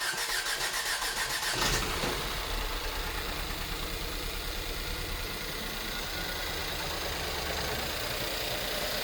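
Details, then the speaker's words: 2011 Ford S-Max 1.6 EcoBoost after repairing severe misfire and fuel leak near turbo, bad injector blamed: short crank, catches at once, smooth quiet even idle, no ticking, no leaks. "Sounds like an EcoBoost sewing machine. No leaks."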